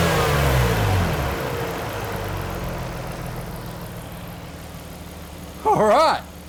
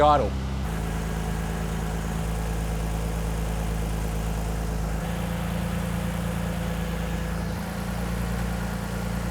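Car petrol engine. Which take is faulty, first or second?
second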